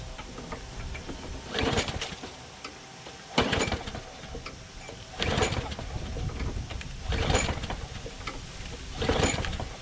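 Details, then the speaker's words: Craftsman push mower, running: sharp metallic clank about every two seconds, like grinding on something. The blade is suspected to be hitting the deck underside or baffle; a sheared flywheel key was also considered; unconfirmed. "Ooh. For a second, right? It seemed like it was grinding on something, you know?"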